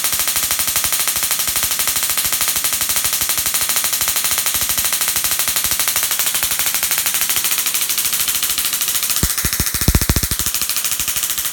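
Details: Dual RPS half reconfigured to about 100 kV with half the diodes flipped, Darson Bell configuration; fast steady crackling snaps, many per second, a few louder cracks near the end, as it charges up and discharges; normal spark gap arcing.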